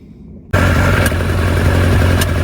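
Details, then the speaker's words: Lotus Elan, 3 years off the road, first start after retiming (distributor turned clockwise a few degrees): idles fairly steadily but misses now and then, an intermittent misfire at idle; revs freely but pops and bangs, lacks power; cause unconfirmed. "well it's a bit better it's running a bit better now that the um I've re Ed it um but here it's missing every now and again as you can you can hear"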